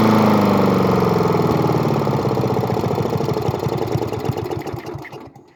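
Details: Murray lawn mower with a spare replacement engine just mounted, test run after priming: small single-cylinder engine fires with steady beats, then slows and fades as it shuts down; runs fine.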